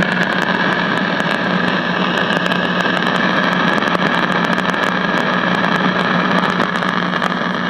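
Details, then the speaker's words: CBS five-tube AM radio not tuning stations, static not originating in audio output stage; signal-traced, then output into detector grounded to isolate; constant hiss with irregular crackles over hum; static from faulty IF transformer. "okay so what I had done is I had grounded the output going from there into the uh detector and you can hear okay well that pretty much solves that problem"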